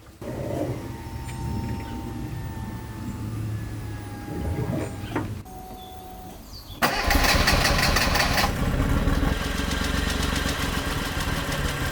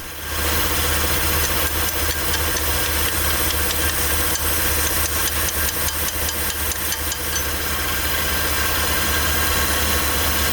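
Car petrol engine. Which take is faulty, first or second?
first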